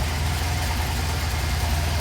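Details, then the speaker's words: Bajaj CT100 carburettor bike back from a Ladakh trip, BS6 regulator/ECM, engine bore work done and refitted, just started: steady even low single-cylinder idle thump with no knocking or rattling, healthy. "Engines ಇದಾಗಿತ್ತು, ready ಮಾಡಿ start ಮಾಡಿದ್ವಿ. ಹೇಗಿದೆ comment ಮಾಡಿ ತಿಳಿಸಿ ನೋಡಿ friends."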